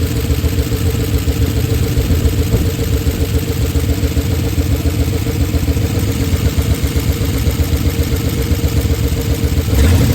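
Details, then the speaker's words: Oldsmobile Super 88 V8 at low idle, warm, after timing adjustments: loping, uneven beat with clattery edge; rough idle, smoother before timing work. Hard to restart when warm; exhaust damaged and missing bolts, owner unsure if that causes noise. "I don't really like how it sounds underneath the hood. I've had it sound smoother before I did all this timing stuff, but the exhaust is shot."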